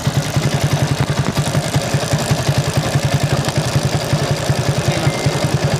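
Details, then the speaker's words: Motorcycle on a Tagaytay night ride, at idle: a loud, rhythmic clatter pulses about three beats a second, getting very loud every time the clutch lever is pulled in; still rideable, cause unknown. "So natatakbo pa naman siya, pero yun nga, kada clutch ko, kada piga ng clutch, grabe yung ingay."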